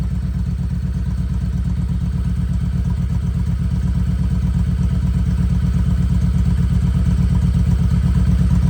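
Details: 2016 Kawasaki Vulcan 1700 V-twin idling after an oil change, no obvious leaks at drain plugs or filter: deep, even lope at steady idle, throb slowly firming up, no knocks or ticks; normal idle.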